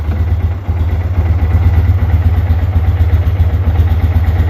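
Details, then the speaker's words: Wilderness ATV single cylinder just revived after ethanol-damaged carburetor, left to idle: slow heavy lumpy thumping about four beats a second; idle speed too low. "Eventually, I was gonna say it's running pretty darn low."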